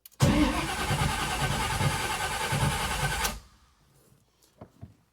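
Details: 1979 Camaro big block Chevy, long unused with no tune-up, after cleaning the starter solenoid contacts. Strong, steady cranking for about three seconds that never catches. The carburetor is dry.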